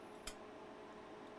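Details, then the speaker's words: External Toshiba hard drive not detected, opened for clean room inspection: sharp isolated clicks over a faint whir as the read head sweeps back and forth, likely a read head mechanism fault. "Reading head is going back and forth. And that's where the clicking sound is coming from."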